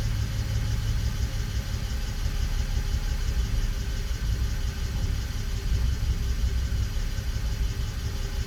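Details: BMW E92 325i at cold start, misfire shown on INPA: low, lumpy rumble and uneven beat instead of a smooth hum, rough idle. Misfire at cold idle.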